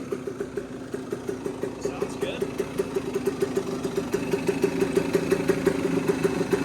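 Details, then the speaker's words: Cagiva WMX two-stroke dirt bike idling after a flooded start, oily air filter loading it up, likely jetted for the UK; steady crisp putter about three pops a second, healthy idle. "Air filter had a lot of oil on it. Kind of loading it up. It's also not jetted for here. It's probably jetted for the UK. It's a runner."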